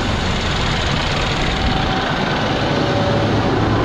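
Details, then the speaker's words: Cummins ISX truck diesel just after first start following overhaul with new engine block (originally high coolant consumption and overheating): deep, steady diesel clatter at idle, even and unbroken, no knocks or misses; engine sounds healthy. "Wow that's a first start soon as hell you would think it was started before"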